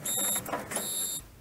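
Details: 1932 Ford sedan, ignition on accessory, left indicator on: the flasher relay's buzzer pulses a high-pitched buzz about every 0.7 seconds, quietened from very loud by a screw in its underside hole; working normally.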